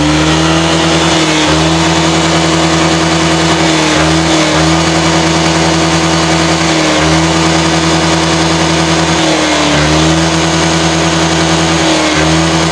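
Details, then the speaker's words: Honda Vario scooter that was fouling spark plugs within a week from a clogged catalytic converter, after the exhaust/cat was holed and refitted: it revs cleanly and repeatedly from low speed with no bottom-end bog like before. Rev response is now normal. "Mari kita bunyi ini ya responnya gini mulai bawah ya biasanya tadi e biasanya Sebelumnya kan bawahnya ngempot"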